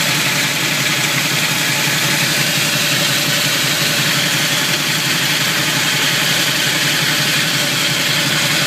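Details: Camaro in gear at low speed: harsh, steady grinding rasp over low engine idle, gone past 20 mph and less with hard throttle; owner suspects flywheel or torque converter, starter tight with no shims, cause unconfirmed.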